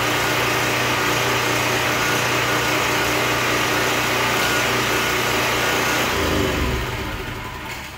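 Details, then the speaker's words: Predator 4375-watt generator that started but barely ran and made no power, after stator and rotor replacement: steady, even engine drone with no misses or knocks, then winds down; running normally. "And other than that, that's it. It's a good running generator."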